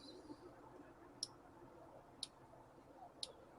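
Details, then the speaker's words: Injector control test with engine off, injector three: three crisp, evenly spaced solenoid clicks about one a second; clean normal injector click, unlike the weak-clicking number 4 being replaced. "we're gonna listen for the injectors now you're there so hopefully you can hear injector one is clicking object is two is clicking and get to three"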